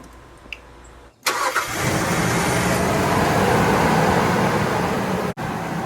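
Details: 2004 Nissan Xterra 3.3L V6 after starter replacement: brief crank, then it catches at once and settles into an even idle; the slight hesitation before cranking, still present after new battery and terminal ends, is gone.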